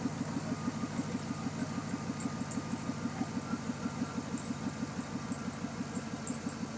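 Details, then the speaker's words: 2007 Chevy Silverado V8 at idle after stainless steel exhaust manifold install, one broken bolt still in place: steady, even idle with no manifold ticking; earlier exhaust leak now barely audible. "Um, like I said, I had an exhaust leak and you really can't hear much of it anymore."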